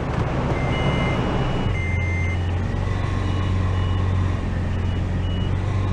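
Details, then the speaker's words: Toyota FJ Cruiser in reverse at low idle: high electronic beeps from the rear park-assist (two back-bumper sensors) warning when close to something, working normally. "That what you're hearing is a backup buzzer. It lets you know if you're getting really close to something."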